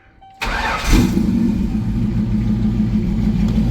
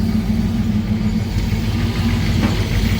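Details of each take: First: Thunderbird after engine pull, upgrades, new intake and rewiring, first cold start: quick crank, catches, settles to steady idle, slightly lumpy until warm; idle set too low can stall. Normal start and idle. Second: Ford Thunderbird V8 first start after engine pull, new intake and rewiring, still cold: low, lumpy idle with uneven beats and stumbles, valve not yet hooked up; stalls if idle drops too low, ignition suspected; rough idle.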